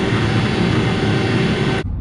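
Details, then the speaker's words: Building chilled water valve springing closed: loud, steady rushing roar like a plane taking off, then a sharp cut-off as it snaps shut; excessive water flow noise, fixed by replacing it with a Schneider valve, which stopped the turbulence. "we're scheduled to go and change a chilled water valve that's making too much noise when it's springing close you can hear the water pressure coming by kind of sounds like a plane taking off so"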